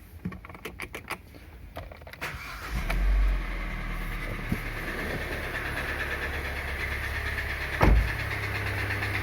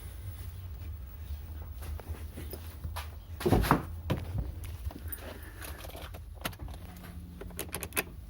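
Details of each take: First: Kia Sportage 2.0 litre G4KD petrol engine, 160,000 km, before repair: starts and idles with a dull, uneven, unpleasant knocking; piston knock, a known weakness of this engine; piston slap knock. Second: Kia Sportage 2.0 G4KD petrol engine after repair for piston knock: idles evenly with a steady low rumble, no piston knock.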